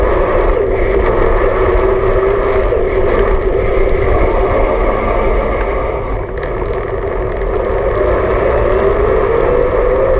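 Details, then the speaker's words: BULLS Lacuba EVO E8 e-bike, belt-driven mid-drive motor with Nexus 8-speed internal hub, lowest assist, pedaled fast while riding; thin motor whine under heavy wind rush, rising in pitch with cadence; normal mid-drive motor whine. "I'm gonna pedal fast so you can get a sense for that higher pitch sound and then I'm gonna arrow up to a higher level and climb a hill should be good"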